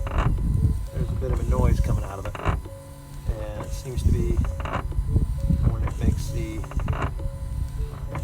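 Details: 2017 Ford Transit 350 diesel dually windshield wipers before repair; a squeaky creak with each sweep from dry, worn wiper linkage ball joints and pivots, fixed by greasing all four joints.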